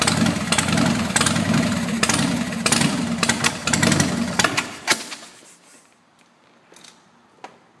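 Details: Harley-Davidson Sportster: repeated bursts of cranking, roughly two a second for five seconds, never catch and run, then goes quiet; cranks but won't start.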